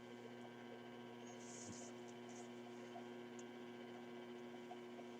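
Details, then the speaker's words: RCA Victor 94BT1 radio during final alignment, tuned near 600 kc with a signal generator, 76 V on the B+ supply, original speaker connected: only a steady low buzzing hum, no 1000 Hz test tone, cause unknown. "we should be hearing a thousand Hertz Tony coming out I don't quite understand why we're not hearing the tone"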